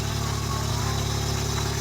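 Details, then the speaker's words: 1991 Ford F150 pickup just started cold: steady low drone with a faint regular tick that goes away once warmed up: cold start engine noise. "Just starting the truck up, so it has to warm up so that noise goes away."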